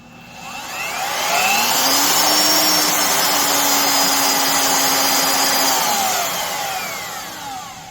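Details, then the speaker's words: Craftsman (Skil-built) 12 A, 1440 W variable-speed router with soft start: rises to a steady high whine and winds down, smooth with no rumbling. "We should hear how it sounds. No funky rumbling sound."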